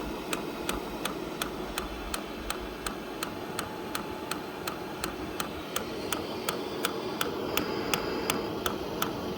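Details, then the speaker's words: HCalory TC2S diesel heater, new, first use on EcoFlow power; crisp even ticks near three a second over faint fan hiss, pump tick getting quieter once fuel is in, air blowing but not yet warm as fuel isn't combusting; normal priming. "You can hear that that tick's got quite a lot quieter now. The fuel's in there."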